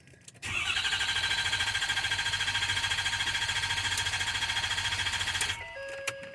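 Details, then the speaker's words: 2013 Ford F250 6.7 diesel with fuel deliberately cut via scan tool output test: even starter cranking about three and a half beats a second for five seconds, never firing; intentional crank no start, starts normally once restored. "so now going to go ahead and crank the engine just to listen to what it sounds like and we'll see that it will not"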